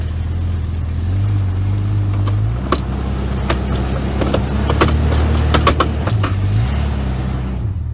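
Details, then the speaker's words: Old yard Jeep, before repair, about 42°F, camera close: low engine drone with irregular crunching snaps, dry grinding of a bad drive shaft u-joint. "when you hear this crunching sound of a drive shaft that's got a bad you join in it"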